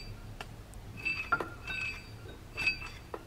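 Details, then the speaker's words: Metallic clinking from the water pump pulley on a JDM Mitsubishi Lancer Evolution 1, heard with both belts removed: irregular sharp clinks with a brief ring over low engine hum. It first sounded like a failing bearing, but the pump shows no coolant leak. "Le bruit provient directement de la poulie de la pompe à l'eau. Alors, au début, le bruit qu'on entendait, ça me faisait penser à un bearing qui finit."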